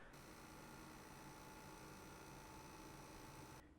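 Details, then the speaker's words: Colorful iGame GTX 1080 Ti Vulcan AD graphics card under full load with Vsync disabled: faint steady high-pitched coil whine over soft fan hiss; whine disappears with Vsync enabled. "you can hear some coil one differently when you've got vsync disable when you enable vsync the coil one literally just disappears"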